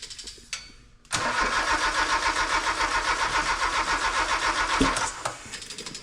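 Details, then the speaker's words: Honda K24 in a sandrail, first start attempt after new harness and ECU install: starter turns slowly in steady beats around 220 a minute, never catching; weak, discharged battery needing a jumper. ">> Your battery is losing power. >> Let's hook a jumper up. We've been charging junk batteries."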